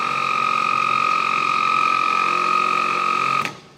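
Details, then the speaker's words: 1970 Triumph TR6 starter motor bench-tested off the car on a 12 V battery: steady high electric whine picks up speed, then slows and cuts out abruptly, binding and seizing; owner suspects internal corrosion, plans to clean and paint it. "now it's picking up speed which tells me that it is a little bit corroded"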